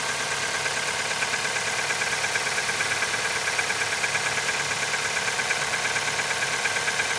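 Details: Nissan QG18DE engine, cold start at -15°C; a sharp, regular tapping of about three a second over the cold idle. Cold start knock, cause not yet pinned down.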